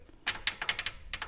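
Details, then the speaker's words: Polaris Ranger rear clunking, engine off: light metallic clicks in loose bursts from loose rear brake pads rattling in the caliper, not axles or transmission. "hear it that's what that was my issue so uh there was nothing wrong with the axles or the transmission all this time it was these"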